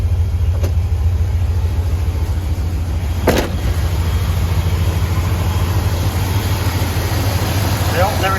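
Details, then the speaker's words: 2nd Gen Dodge 5.9 truck after alternator replacement, with jumper cables still connected after connections were fixed: steady, even low idle rumble with no misses, stumbles or squeal; truck now idling cleanly on its own. "okay trucks operating on its own now"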